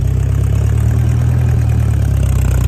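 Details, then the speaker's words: 1956 Massey Ferguson MH50 gas tractor with new battery, key switch and fresh fuel. Low, steady, even idle, smooth with no knocks or misses, running nice and smooth: normal idle. "The little guy sure enough runs nice and smooth, folks."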